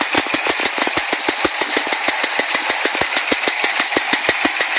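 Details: Chevy Nova engine running, sharp rapid metallic ticks about three a second, appearing after a drive around the block; owner suspects a stuck lifter.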